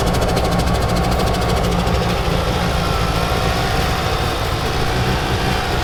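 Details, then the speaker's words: Mitsubishi Evo IX engine, compression 125-130 all four cylinders: rough, uneven idle with a faint whistling hiss; vacuum leak from a loose intake manifold bolt, confirmed by brake cleaner raising rpm. "That whistling noise that you guys heard was my intake manifold. One of the bolts was pretty damn loose, and I did the good old brake cleaner trick."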